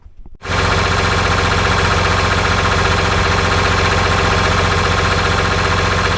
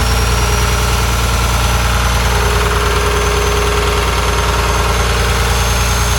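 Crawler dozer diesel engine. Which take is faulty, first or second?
first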